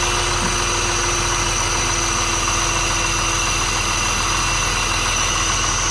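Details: BMW 635CSi E24 being checked for rough idle, cold start with throttle body exposed: even, steady idle with a constant low hum and no misses or stumbles; cold idle is normal.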